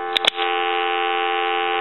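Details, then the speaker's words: AT&T 530 Trimline telephone on a line analyzer, ringer switch on, ringer set to high after medium. A couple of clicks, then a loud, buzzy ring held steady without dropouts; ringer sounds properly at full volume. "we'll go ahead and ring it I'm going to let that go several times since that was the medium and then I'll go to"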